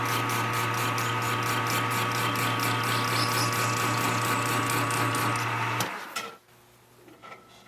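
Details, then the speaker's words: Lathe dry run on a junk part during a 1960 John Deere 1010 diesel rebuild, using a narrow parting tool ground on a belt grinder: a harsh, buzzing cut with fast chatter of about two per second as the tool deflects. Parting tool chatter from tool deflection. "that's why it's good to do a dry run on a junk part it's uh it's deflecting away when I try to cut this Edge I'm not really sure what to do about that"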